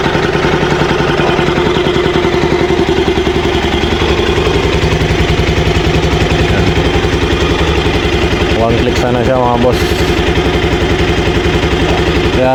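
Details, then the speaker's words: Rouser NS200 motorcycle, which leaks coolant from the radiator when running, idling without its air filter: fast choppy idle pulsing three to four times a second with a loud raw intake huff, from the missing air filter. "ganyan ang tunog dyan, wala siyang air filter."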